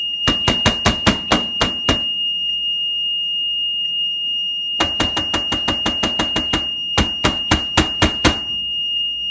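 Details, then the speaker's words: Maytag Neptune washer, found discarded with cut cord: control panel emits rapid sharp beeps, about four a second, on any button press and doesn't always start; owner suspects faulty control panel with errors, other functions seemed fine. "okay yeah this panel is definitely having some issues so beeping for because it's definitely having some errors"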